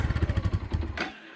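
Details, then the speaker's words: 2002 Suzuki GZ 250 after sitting 15+ years, on choke after extra fuel and priming, 30 seconds to a minute of cranking: uneven burst of deep low thumps for about a second as it first fires, then dies. "Maybe cranking on this, I don't know, 30, 40 seconds, a minute, longer than a starter should. But she fired to life."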